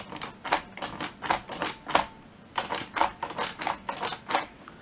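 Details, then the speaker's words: 3D-printed Enigma machine (Polish Enigma Double version) keyboard mechanism, not yet bolted down, keys pressed by hand. Crisp clicks at two or three a second, clean and consistent; keys working reliably. "that's all working pretty well now. It took a long time to get the measurements and the distances and everything exactly right so that this works reliably every time."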